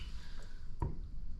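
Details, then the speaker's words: McAlpine anti-syphon 32mm bathroom basin bottle trap, after replacement: soft steady rush of water draining with one small drip, no gurgle or glug; the previous gurgling is solved. "So there's no gurgling noise. So that's solved the problem now."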